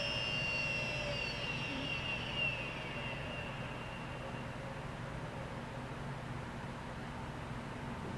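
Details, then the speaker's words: Late-1990s Seagate Barracuda 7200 RPM SCSI server drive, powered off after about 20 minutes of running and hot to the touch: a high whine slides smoothly down over several seconds into a quiet hiss, a normal clean spin-down. "And it's done. Nothing like a good several second long spin down."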